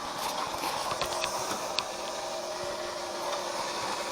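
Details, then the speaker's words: Coastie safety tug boat during repairs, main power switched off: faint steady whir with a thin hum and hiss keeps running from an unknown source; owner thinks it almost sounds like a pump but is unsure. "It actually, it almost sounds like a pump. I don't know."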